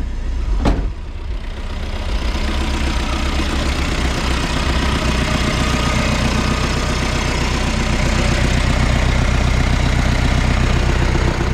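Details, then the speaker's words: Diesel ute cold-started after sitting a couple of days, just after refitting the exhaust: a steady idle clatter ticking about four beats a second with no hiss or whistle of a boost leak. "Right, this does like to start rough cold and it hasn't been started for a couple days, so."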